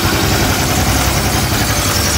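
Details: Honda Click 150i scooter after overheating with coolant lost and thermostat bypassed, now overhauled and coolant refilled, breaking in: even, steady idle hum with nothing knocking or rattling. Normal idle.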